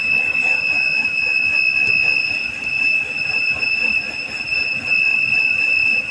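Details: 2007 BMW X3 3.0 running with a steady, piercing high whistle from a vacuum leak; pulling the valve cover cap stopped it, so the valve cover was cracked and is being replaced.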